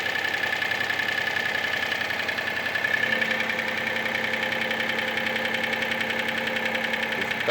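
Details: Mitsubishi Space Star at idle: quick, even metallic clatter about three or four times a second over the engine, suspected piston slap; cause unconfirmed.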